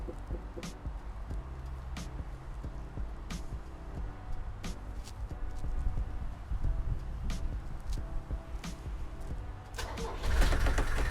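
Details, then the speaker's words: Restored Mercedes 240GD diesel, 67,000 km, cold start after waiting for the glow plug light, a little throttle: low, even diesel clatter about four knocks a second settling without misses; healthy cold start and idle. "Starts up like that every time. You give it a little bit of gas."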